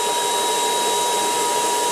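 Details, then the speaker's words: Ultenic U10 cordless vacuum, infrared dust sensor triggered by a finger moving in the inlet: high, steady motor whine at full speed with constant airflow rush, the motor boosted to maximum automatically and the LED orange. "Vous voyez, il accélère tout seul et il se met en vitesse maximum."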